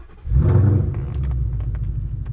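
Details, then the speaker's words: Ford Mustang GT 5.0 Coyote V8 with newly built custom exhaust, started in quiet exhaust mode: catches and settles into a deep, even, muted rumble with no ticks or knocks; healthy cold start. "Sounds kind of subdued, but when I go into my mode on the Mustang exhaust mode selection and go to track versus quiet, we've got quite the difference there."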